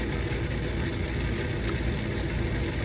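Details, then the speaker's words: 30-year-old furnace draft inducer fan motor with worn-out bearings, running with a steady, rough low rumble before it seized and was replaced. "I got furnace problems my draft inducer is done for you can hear"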